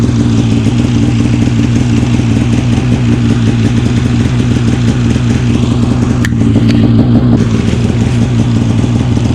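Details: 2015 Polaris Switchback Assault snowmobile two-stroke after spark plug replacement for no-start: starts on second pull, steady even drone with no misses or stumbles; problem fixed, normal running.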